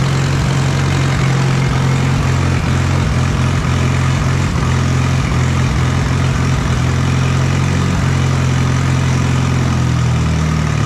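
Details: Allis Chalmers B tractor gas engine, running after repairs, with oil pressure confirmed. A steady, even low chug at idle with no stumbles or knocks. Normal, healthy idle.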